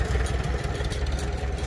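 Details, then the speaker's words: Farmall Super C antique tractor after a Seafoam treatment: low, steady chug with an even beat and a faint light tick on top. It settles into a clean, normal idle, apart from the ting up top and a slight dirty-fuel issue. "Other than the ting, ting, ting up top, I think that's a perfect idle."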